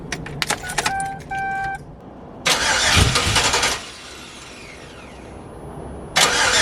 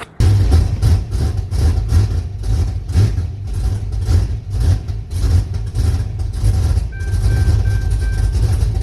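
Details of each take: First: Yukon with gauge cluster signal wires piggy-tailed into the Holley harness, possible security function suspected: bursts of fast, steady starter cranking but the engine never catches; cranks, no start. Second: Refreshed engine in a turbo build, first start after powering the previously unpowered fuel pump: rhythmic cranking settles into a steady, deep, even idle. The throttle is held by hand and the AFR sensor is unplugged, so the Holley can't learn; idle may be set too low.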